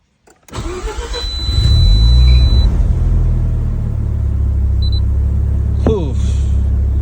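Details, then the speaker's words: Mazda RX7 FC3S rotary cold start at night after stock ECU reset and relearn fixed a rough idle: cranks briefly, catches and settles into a steady, even idle with no hunting or surging; healthy cold start. "so guys after resolve the problem we also need to know about the cold start so it's already night night time let's just try and see the cold start see how's the idling"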